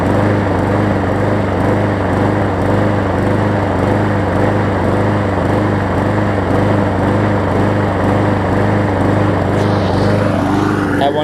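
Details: Hyper Tough mower after fitting a new blade to replace a severely bent one: even, steady single-cylinder putter at constant speed, no knocking or scraping from the blade; running fine.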